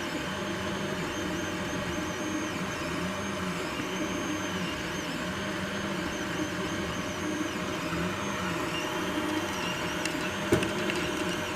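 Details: Anycubic i3 Mega 3D printer hums and whirs through moves while the extruder gives occasional sharp clicks; suggested causes include slicer settings, bed leveling, old PLA, or a faulty extruder.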